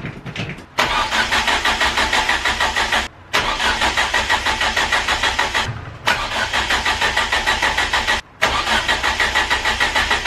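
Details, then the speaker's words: Ford Focus RS Mk1 after crankcase helicoil repair and a new lower sump, months off the road. Coil pack lead off: three ~2-second bursts of even starter cranking to build oil pressure, never catching. "So I'm going to take off the lead to the coil pack, unplug the battery charger, and basically give it a couple of starts to build up oil pressure, and hopefully not blow up the car."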